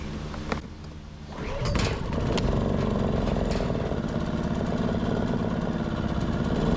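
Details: Westinghouse iGen 2500 inverter generator, which previously would not start and then surged at idle, now fixed after its common problem was cleaned out. Started on choke with a pull, it settles into an even, steady drone with no misses or hunting. Running normally.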